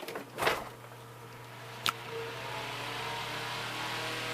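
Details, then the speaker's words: Mid-1950s Bersted "Zero" 1250R electric fan after restoration, with blades pitched, grill mounted and motor lubricated: a switch click, then a steady airy whir and even hum. It runs normally; the bearings are slightly worn but salvageable. "Look at that. That thing moves air now. It never did before. He improved it. Yeah. I mean, these little fans spin so fast that they're gonna make noise. It's just kind of the way it is."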